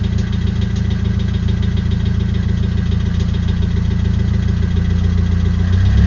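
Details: Nissan SR20DET engine at steady idle with a light, fairly regular knock about four times a second on the engine note; knocking, cause not yet pinned down.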